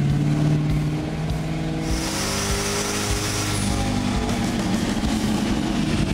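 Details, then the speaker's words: 2008 Ford Crown Victoria P71 Police Interceptor 4.6L V8 with added tailpipe turbo, exhaust and fuel mods, new tune, on dyno at wide-open throttle; hard, even V8 roar with faint turbo whoosh, no misses or knock, healthy pull making 329 hp. "This is the one? It's the one. This old girl sound, good."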